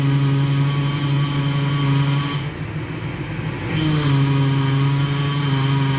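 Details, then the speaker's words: NC Fairlane / EB Falcon at idle, power steering fluid topped up and steering turned to bleed it: steady low drone and whine shifting pitch as the wheel turns; plenty of air still in the power steering system. "Okay. You can hear that, there's still plenty of air in"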